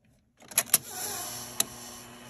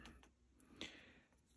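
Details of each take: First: Sony SL-6200 Betamax player, sticking part held down by hand: a few sharp mechanical clicks as it engages, then quiet steady whir of tape transport playing with picture on TV; normal play transport. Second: Sony SL-6200 Betamax player upside down: light dry mechanical clicks as pressing play wrongly triggers the stop solenoid, so it won't play or fast forward, though rewind works.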